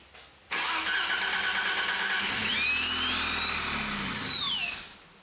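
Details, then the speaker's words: 1987 BMW 528e E28 after sitting off the road 3+ years: engine fires and settles with a loud rushing hiss and sliding whistle over idle; significant air leak suspected, possibly something plugged into the wrong spot; vacuum leak. "what the f what's that but it sounded like there was a significant air leak of some sort that's what that sounded like"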